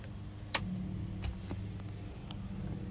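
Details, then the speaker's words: Newly installed SeaFlo 55 Series washdown pump (70 psi, 5 gpm) on a boat, replacing a Rule 800 gph livewell pump: even low hum with a few light clicks, no surging or rattle; normal pump running. "it humming. There's the supply."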